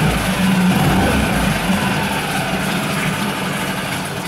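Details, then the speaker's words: New Yamaha 4-stroke 5 hp (6 hp) outboard on its first start, at idle: a steady low drone at even speed with no knocks, rattles or foreign noises, running normally. "в общем yamaha как yamaha никаких посторонних звуков не слышно"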